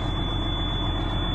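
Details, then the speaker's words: Twenty-year-old truck diesel with about 2 million miles, idling in neutral with the clutch down: steady low rumble with a faint constant whine and no knock or misfire; it sounds really good. "that thing. Actually, it sounds really good. Sounds really good, actually."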